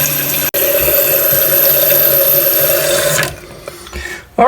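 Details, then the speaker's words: American Standard toilet after replacing the whole Fluidmaster fill valve assembly (wrong-size seal): steady rushing fill that cuts off cleanly when full. Normal fill valve shutoff after repair. "it's turning off it's working like it should"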